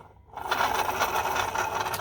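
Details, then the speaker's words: 2005 Chevy Silverado 5.3 V8 water pump, off the engine and spun by hand: rough, gritty grinding compared with the silent new pump; pump was leaking coolant at the back and making a racket. Worn water pump bearing. "and then go over here to this one this don't even hear it so i would definitely say that one was screwed"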